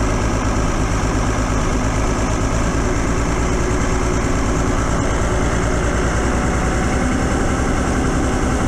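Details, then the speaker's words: Cummins 6BT bus diesel with hard starting and lack of power, started on a cold November day after long cranking: heavy, slightly uneven low clatter at idle with smoke; owner attributes it to condensation and unburnt diesel, expected to clear. "it's a bit Smokey outside now before the do good is do good you'll find that this is a condensation and the fact that it's it's just burning unburnt diesel basically so give it a couple of minutes and it clear up"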